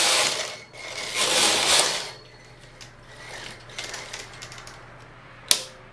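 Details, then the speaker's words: Brother 950e knitting machine from the late 80s, after sponge bar replacement: ratcheting carriage clatter with a faint thin squeak that oiling didn't fix. "I don't know if you can hear that, but the carriage is squeaking a little bit, and that's not supposed to do that."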